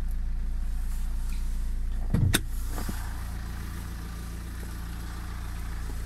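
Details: Small tractor/car engine just started, offered for sale: smooth, even idle with a steady low hum and one brief clunk from handling; engine runs cleanly; normal idle.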